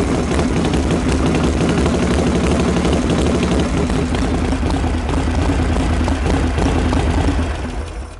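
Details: Freshly reassembled Harley Knucklehead started stone cold after heat cycles and head retorque, not fully dialed in: loud, lumpy V-twin idle with an even, steady beat and no misses; light oil smoke clearing, could be leaned out slightly.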